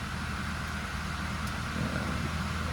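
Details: BMW 430i with stuttering and stalling when refuelling and an intermittent check engine light: quiet, smooth idle with steady low hum, no ticks or stumbles; normal running.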